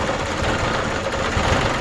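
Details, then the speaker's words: New Holland Boomer TC25D diesel tractor after installing a fuel filter (water and debris found in bowl); runs rough, labouring and dipping, then stalls; air in fuel system, fixed by bleeding at the filter bolt. "So it's got air in the system. So what we need to do is we need to bleed it. See that? It's stalled even."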